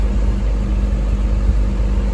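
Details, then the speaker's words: Toyota MR2 with 2GR V6 swap, first run at good temperature: smooth, steady low rumble with even tone and no knocks or misses, healthy idle; a P0505 idle air control code was set and cleared. "It's running good. It sounds really nice now. It sounds like sounds exactly what a 2GR sounds like from my experience."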